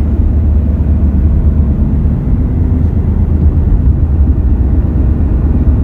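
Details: Car driving at road speed after front wheel bearings replaced; deep continuous droning roar, no clicks or grinding, heard from the rear, owner ~90% sure not front-related, two bad rear tires; tire roar.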